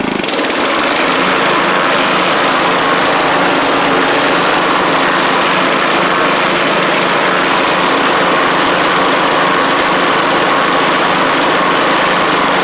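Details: John Deere LX176 riding mower after a new transmission belt and pulley fixed a no-drive fault, driven before the deck is refitted: steady engine drone with no slipping or belt squeal; normal running and driving.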